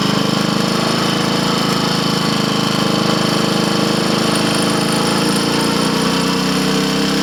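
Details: Triumph Tiger Cub (Bantam Cub) single on road test, engine of unknown rebuild history, timing and valve clearances known right; labouring, rattly pinking climbing under load, rider turns back, suspects carburetor needle should be raised.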